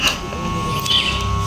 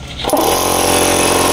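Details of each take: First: Electric air compressor plugged in gives only a steady electrical hum and never turns over. The capacitor checked good; the piston/bearing inside is seized and damaged. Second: Electric air compressor repaired after humming and not running due to seized internal bearing; bearing freed and new oil added: loud even piston chatter about four beats a second over steady motor hum, running smoothly.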